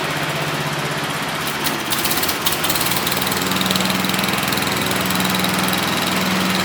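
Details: MTD Wizard 12 hp lawn tractor, free and revived, gives a steady, even single-cylinder putter holding speed under load while driving and cutting with grass catcher on; healthy, though owner feels it lacks power and may check compression and valves.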